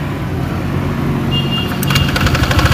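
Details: Honda Vario automatic scooter with the CVT drive belt and front pulley off: a rough metallic klete-kletek clatter rides the idle and builds; a loose cam chain tensioner is letting the timing chain slap.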